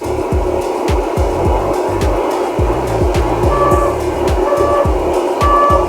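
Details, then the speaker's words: Electric unicycle ridden hard at speed: three short mid-pitched beeps about one a second over heavy wind and road rumble, the overload/power-limit warning, before a cutout; a fourth beep followed, so the wheel still functioned. "so there were three beeps before the cutout and there was another there was a fourth beep so the wheel is still functioning"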